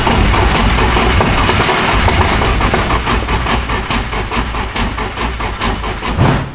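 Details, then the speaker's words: Car after distributor pigtail replaced: starter spins engine in even chugging beats but it never catches, then cranking stops; crank no-start, suspected out of gas. "plot twist we're out of gas the most annoying thing ever"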